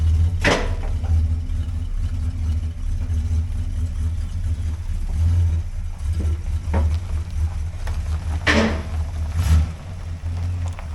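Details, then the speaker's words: 1960 Chrysler Saratoga with a 383 RB big block, after rebuilding the front driveshaft trunnion joint whose boot was torn: steady low rumble while reversing, no clunking or rattling going from reverse to drive; driveline quiet. "sounds good no funking no rattling switch from reverse to drive yep that's pretty quiet"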